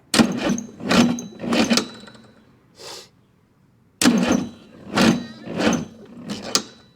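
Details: Chrysler/Mitsubishi 6DS70 marine diesel that sat for years in a barn, after fuel priming: starter churns in bursts with ragged pops, but the engine never catches; fuel solenoid function is unknown, batteries probably junked and starter warming; cranking with partial firing, no start.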